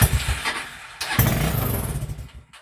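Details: TrailMaster 300 XRS go-kart that sat, carburetor cleaned, one carb hose unconnected, before carb adjustment: catches after cranking, runs uneven and surging, then stumbles out, won't idle without throttle; rough running, carb adjustment suspected, not confirmed.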